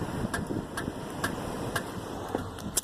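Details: Ticking about twice a second from the rear driver's side wheel of a 1999 Toyota Avalon at quiet idle, keeping time with the wheel, right after two new rear tires were mounted; brake noise suspected, something at the rear wheel catching.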